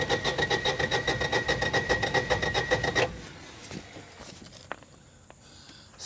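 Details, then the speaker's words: 2004 Kawasaki Mule 3010 petrol, after new fuel pump and carburetor: steady starter cranking about two and a half beats a second for three seconds, never firing; no fuel delivery, traced to a wire by the block that triggers the fuel pump pulse. "So, what we've done somewhere in this wiring with through a lot of troubleshooting and everything, the wiring on this, there's a wire that goes into down by the block that triggers the fuel pump to do a pulse."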